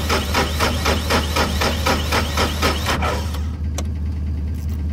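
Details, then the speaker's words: 2003 New Holland TC29D diesel after sitting three years; fired once then refuses: rhythmic cranking about four pulses a second, then low drone without steady run. Owners suspect air in fuel, bleeding injection pump and injector lines. "get why i fired and now just refuses"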